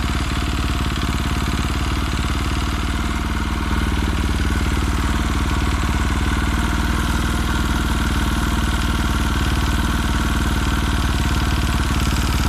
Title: KTM RFS knocking sound